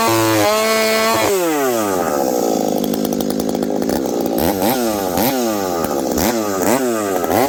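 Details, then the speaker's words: Husqvarna 372XP with UFO pipe, high jet leaned slightly, warmed up, cutting frozen ash at about minus 30 to 40 °C: screams near full revs, dips and recovers in the cut with slight burbling; healthy rich four-stroking tune. "this thing nice healthy four stroke I probably could have leaned it out even a little bit more"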